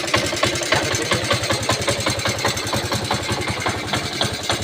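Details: Honda C90 single, battery model converted to battery-free CDI ignition with original coil pack: steady putter, firing even with no misses or knocks; idle sounds healthy.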